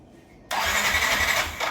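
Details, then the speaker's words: Yamaha NMAX V1 scooter, unused about a month, 105 km on the odometer, battery 12.2 V, no check engine light; high starter whirr about a second and a half, never catches. Crank no start, later found to be a clogged fuel injector. "Tapos kapag pinindot natin yung push start tsaka brake light ayaw mag-start yung motor."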